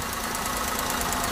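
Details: Maruti WagonR K-series petrol engine with misfire, low pickup and check engine light: rough pulsing idle, one cylinder not firing; spark plug caps pulled one by one, ignition system tests fine.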